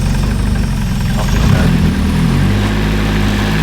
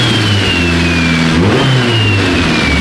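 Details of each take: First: Freshly swapped Nissan KA engine at its first start after the swap: steady, slightly lazy idle with a deep even thrum and no misses; sounds good but idles a little low. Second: Freshly swapped Nissan KA engine in a 240 chassis on its first test drive after the swap: clean revs rising and falling smoothly with a steady tone and no rattles or misfires; sounds right and healthy.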